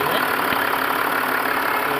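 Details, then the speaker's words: Range Rover Sport after replacing the noisy belt pulley that made a chirping sound: steady, even idle with no chirp or squeal; engine runs smooth. "तो आप देख सकते हैं कोई आवाज़ नहीं है पहले चार-चार की आवाज़ करती थी"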